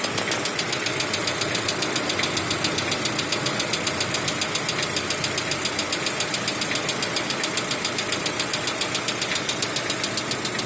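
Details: 2016 Lada Vesta 1.6 at cold idle with a sharp, even ticking about two or three a second that goes away when warm; suspected hydraulic lifters and piston slap, reduced by switching to Zic X9 5W40 oil.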